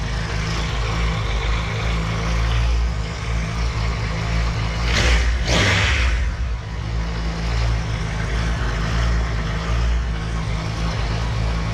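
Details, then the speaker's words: 2016 Triumph Tiger 1200 Explorer with 5,000 km, idling after its clutch basket was machined and reinforced and its springs replaced. The idle is deep and even, with no rattle or clatter from the clutch side; the engine runs healthy. "vamos funcionar aqui agora a moto ver se a gente consegue pegar no o áudio aí né vídeo Inicial e o após reparo feito na Campana"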